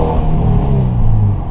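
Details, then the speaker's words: 2009 Subaru Impreza, warm, exhaust donut gasket seating after leak repair: deep smooth rumble on short rev, no rattle or hiss, not too loud; normal revving. "Oh, yeah. Wow, that sounds pretty darn good. I would be happy with that. It's not too loud. No, it's not too loud."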